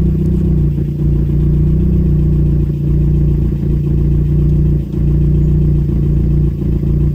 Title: Renault 5 Gt turbo F7pt first start after bottom end rebuild